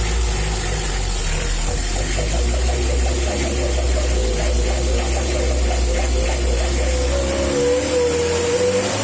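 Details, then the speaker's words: Mitsubishi L300 diesel after tune-up and servicing of the worn injection pump (before it was rough, knocking and smoky): steady, even rumble with no knock, now a smooth, healthy idle. "Setelah pompa diperbaiki, bunyinya jadi halus seperti ini, cukup bagus, teman-teman."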